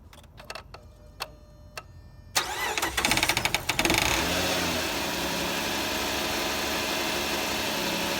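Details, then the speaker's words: 2005 Chrysler 300 2.7 engine: brief metallic rattle for about a second on start-up, dying into steady idle; owner believes timing chain tensioner. "Every time I start it, it makes a rattling noise for like a second or so. I already kind of checked it out, and it seems to be the tensioner."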